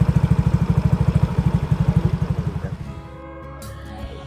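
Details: Yamaha Mio GT scooter CVT after replacing the rollers, slider, rear oil and chipped gear parts, which had caused a clattering noise and power loss. Steady single-cylinder putter, even beats, no clatter. Normal CVT running.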